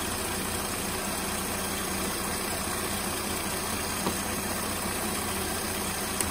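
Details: 2007 Mercedes-Benz 350 (2006–07 models known for faulty engine modules): loud, steady rushing roar of the cooling fan stuck on full speed at idle, switching on and off or never shutting off; live data shows 0% fan request, so the engine control module is wrongly commanding it.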